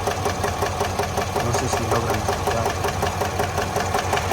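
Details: 2022 Chevrolet Suburban V8 with a flashing check-engine light and cylinder 7 misfire counts: at idle a steady light tapping of about two to three per second rides over the engine; lifter tick from a collapsed lifter with a bent pushrod.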